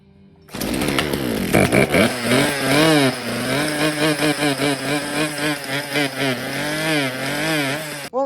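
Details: Free Poulan Wild Thing chainsaw, good compression, revived after Marvel Mystery Oil down the cylinder, probably needs a new clutch: fires and revs but pitch rises and drops every half second; running unevenly, carburetor adjustment planned.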